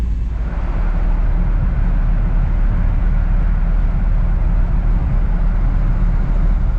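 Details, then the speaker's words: 1959 Chevrolet Bel Air, carbureted, choke set, in neutral, after air cleaner refitted and sticking throttle dashpot removed: steady, even low rumble with no misses, knocks or surging; normal warm-up idle. "we'll let it warm up a moment and we'll go for a little ride and hopefully that takes care of it"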